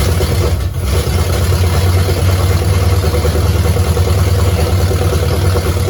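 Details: 1969 Pontiac GTO barn find, first start in 17 years, with a 69 Grand Prix engine, TH400 and Quick Fuel 750 cfm carb: deep, steady V8 burble at idle with no knocks or misses; normal idle, with an oil leak behind the booster.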